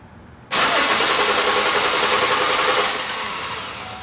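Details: 2005 Chevy Impala that stalls occasionally, while testing a suspected missing cam signal at the harness: steady starter cranking for a couple of seconds, fading without firing; crank no start, injector and cam harness problem.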